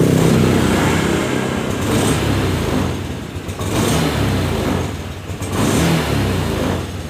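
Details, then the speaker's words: Honda Scoopy FI (around 2022, K0J engine) before service; revs in surges that sag and stumble as throttle opens from low to mid, lacking power; hesitation on throttle, with injector and throttle body cleaning and ECU reset planned. "jadi seperti itu ketika ditarik Gik itu malah nyendat"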